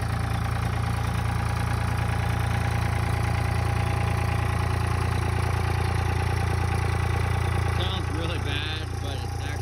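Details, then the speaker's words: 1999 Dodge 2500 5.9 24V Cummins started around -3°F in Iowa, unstarted for weeks: steady, lumpy diesel clatter at raised idle, a bit uneven, the normal cold three-cylinder high-idle warm-up mode, not a fault. "it's gonna go into high idle that should kick into three cylinder high idle right"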